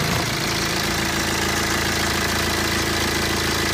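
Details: BMW 120d N47 diesel, 125,000 km, cold idle: fast, uneven metallic rattle over the combustion clatter, clearly audible now in cold weather; owner suspects timing chain noise, not confirmed.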